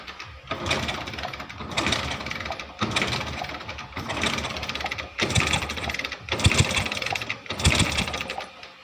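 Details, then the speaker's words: Hero Splendor Plus Xtec BS6 fuel-injected bike that died while riding, plug cap off: six kicks about a second apart turn the engine with no firing; no spark. "तो मैं इसका plug open कर लेता हूं और ये plug cap से open करने के बाद इसमें किक अप्लाई करके दिखाता हूं क्योंकि इस बाइक में बिल्कुल भी करंट नहीं आता"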